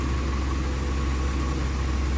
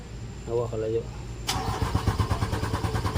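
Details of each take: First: Mitsubishi Canter 4M50 diesel after a hard-starting fix with jumper wiring to the starter: a steady, even low drone with no misses or knocks, idling normally. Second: Mitsubishi Canter 4M50 truck with a hard-start problem: long steady cranking that never catches, though the engine has good power once running; starters keep failing from the long cranking, cause not yet found, injectors to be checked.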